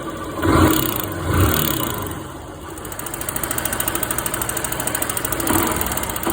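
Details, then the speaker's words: Honda Titan 150 single idling: fast, sharp ticking tap about seventy a minute over the exhaust, caused by a loose exhaust valve seat that came out by hand. "Olha aí o barulho, o que que era? Sede de escape, olha a sede de emissão. Saiu na mão, tá vendo?"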